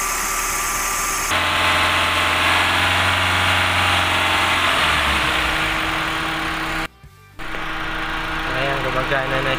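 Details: Toyota after radiator fan motor replacement and coolant top-up, engine started for test, fan should run low with aircon on: idle, then steady rushing whoosh of air holding evenly; new fan running normally.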